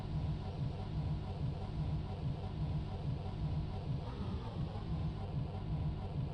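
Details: MB bus diesel on a cold damp morning in Germany: steady starter cranking with even compression pulses a bit over once a second, no catch; cranks but won't start.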